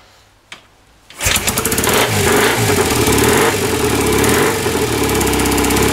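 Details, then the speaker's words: 1967 BSA Spitfire twin after correcting ignition timing with timing tool, carburetors tickled, a bit of throttle: catches after brief kick and settles into steady even twin beat with no misses; timing seemed to be the starting fault. "So after all that, it was the ignition timing that seems to be at fault. It's not the easiest bike to start."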